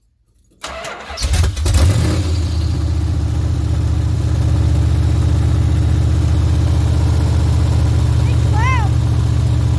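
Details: Big-block Mopar 400 in a Ramcharger, first start after new headers were installed: the starter whirrs briefly, then the V8 settles into a deep, steady, even idle rumble with no ticking.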